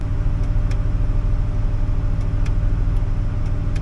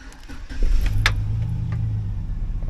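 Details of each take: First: 2008 Chevy Silverado 1500 V8 with misfires and limp mode, idling after a brake pedal position sensor replacement; it has been sitting with a weak battery. A slightly uneven rough idle, better than before, and the owner suspects it needs a new sensor. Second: 2008 Chevy Silverado 1500 that had misfires and limp mode, after replacing the throttle body and brake pedal position sensor and sitting a while: it starts at once and holds a steady, even idle through three-minute run cycles. Normal start and idle.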